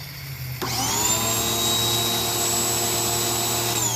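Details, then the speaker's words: Ryobi 2000 PSI, 1.2 GPM electric pressure washer that shuts off after seconds, tested with garden hose and water on: click, then a steady high motor whine, and pressure builds; pump works, so fault lies in hose or handle. "And we got pressure. So he solved the no working problem."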